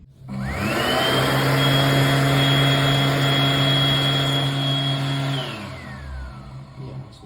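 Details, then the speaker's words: AirDri Quad hand dryer built August 2021, whose motor is claimed to last 17,000 hours, recorded later: spins up to a harsh, steady high whine over a low hum, then winds down; the motor sounds worn and rough. "doesn't sound like it's got to last 177,000 hours does it"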